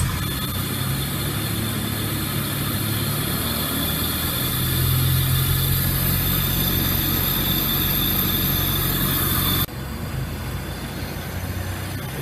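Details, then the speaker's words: Honda Civic VTEC idle: revs swell and sag instead of holding steady, still hunting after a coolant o-ring fix; a cracked vacuum line was found and taped; hunting idle from vacuum leak. "leak in anyway it still sounds like it's idling around though huh there was a crack in the vacuum lines"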